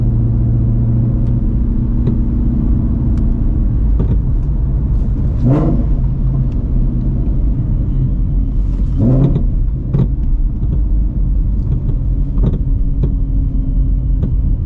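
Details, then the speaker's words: 800 hp supercharged Shelby GT350 driving on rough city roads after front spring change: road rumble with dull irregular clunks over bumps from front suspension; owner unsure if springs are unseated or still settling. "I can't see [ __ ] but the glare God damn that was bad that clunk"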